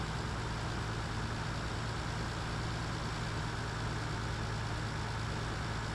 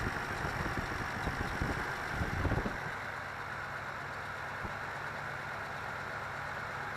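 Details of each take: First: 1985 Toyota Celica Supra (MKII) after engine rebuild for blown head gasket between cylinders 4 and 5, driven about 500 miles; smooth, even low rumble holding steady pitch with no misses, knocks or ticks; healthy, settled idle. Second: 1985 Toyota Celica Supra (MKII) with long cold cranks, very rough idle, smooth above 1000 rpm, hesitation and power loss; uneven, lumpy idle with low steady hum, smoother after a clunk; traced to blown head gasket.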